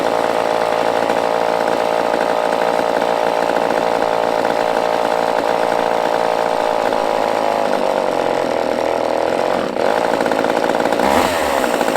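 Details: Used chainsaw with old fuel dumped, fresh fuel added, and the fuel line primed: holds a steady, even high idle with a crisp two-stroke buzz, no stumbling or surging; running fine.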